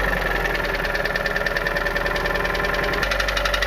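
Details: Honda Civic Hybrid 1.3 petrol engine knocking at idle: steady dull knock about four beats a second; the sound nearly disappears when the first and second ignition coils are disconnected and returns when reconnected.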